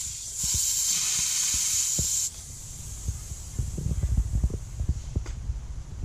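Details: Compressed-air winterization purge of sprinkler zones from the basement valves: steady sharp hiss of air rushing through the partly opened valves for about two seconds, then clicks and handling; normal air purge.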